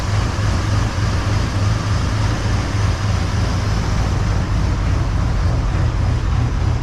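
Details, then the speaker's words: 1978 Chevy C10 with a 454 big-block V8, just started in the shop after a new battery, in the session to cure an engine tick and exhaust sputter, warming up; deep, even idle with no ticking, valvetrain quiet and healthy, much quieter than before. "no I can tell you right now it's much quieter up here we'll let her get warmed up here for a"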